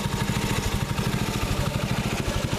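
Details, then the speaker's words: Freshly reassembled water-seized Predator 6.5HP Honda-clone engine on a Baja Warrior minibike, break-in after rebuild, kept level for oiling: quick even thumping idle, no misses or knocks, really no smoke. Normal idle. "Then what I did was I finished putting this thing together, and obviously it's running. So you guys can see idling, there's really no smoke."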